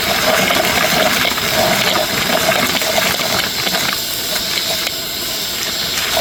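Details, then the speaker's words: New cordless Ryobi 6-gallon wet/dry shop vac, hose still clipped to the top, vacuuming small wooden toys: strong airy suction rush with light clattering of pieces pulled in, steady power; normal vacuum suction. "okay that was I don't know I don't care who you are that was impressive I still had it clipped to the top of the vacuum and it took all that out"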